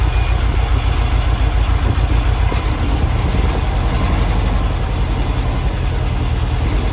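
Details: 1972 VW Beetle 1200 flat-four, first start in about two years, cold and warming up; low lumpy idle with an uneven beat and a missing pulse, not firing on all four, apparently running on three: misfire at idle.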